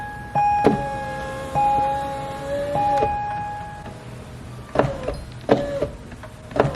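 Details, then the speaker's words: Chevrolet Corvette Z06 power window, door panel removed: motor hums in short runs, then sharp clunks near the bottom of travel as the glass strikes and moves a loose wiring harness inside the door. "So, it's hitting something. Like when it hits the bottom, it moves that wire."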